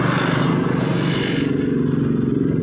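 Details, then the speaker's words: Rouser 135 motorcycle after top overhaul with new cylinder block set, previously noisy, smoky and misfiring; quick even single-cylinder putter settling to steady idle right after kick start, no smoke, quiet, normal. "Ayan, umaandar na. At wala nang usok. Dati umuusok yan. Ngayon wala na. At maganda na yung minor. Tahimik na siya."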